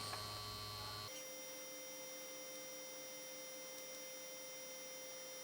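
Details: 1953 Chevrolet Deluxe Two-Ten tube car radio, model 986668, vibrator supply from 6 VDC, voltage still climbing and stabilizing after a test judged successful: steady even buzzing hum with a clean high whine, no crackle or stutter; normal vibrator power supply.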